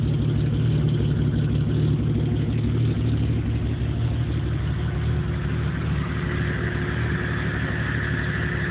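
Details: 1997 Jeep Cherokee at idle, no trouble codes, which also dies under power: deep idle rumble with an uneven, wandering loping beat of about three pulses a second; rough idle, cause not yet found.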